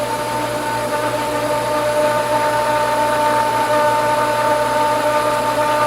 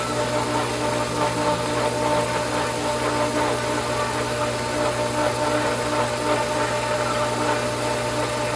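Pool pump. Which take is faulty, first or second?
first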